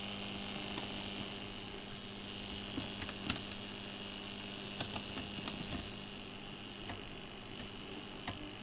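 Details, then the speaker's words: Atari XC12 tape drive on Atari 65XE, after cleaning and repair, with new 5 V 2 A power supply, loading a saved program: quiet steady hum, faint high whine, light clicks, no loud buzz; normal tape loading. "so let's put this near the TV if we do a/c load and get the beep but then we get the noise"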